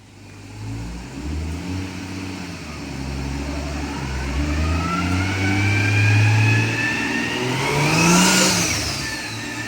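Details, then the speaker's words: Nissan R34 drift car on dyno, first base pull on about 9 psi boost with rich AFR and no tuning yet: engine revs out smoothly to the top with no stumble, a clean healthy full-rev pull (250 hp, 215 lb-ft). "Just wanted to make sure it revs out, but everything revs out and it sounds good."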